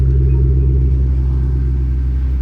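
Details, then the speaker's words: 2005-2009 Mustang GT V8 after replacing spark plugs (old ones carbon-fouled, one overheated) and refitting the coil packs to cure a misfire: smooth, steady deep idle with no stumbles or skipped beats. "no misfire I I can already hear it there's zero misfire wow this thing sounds smooth"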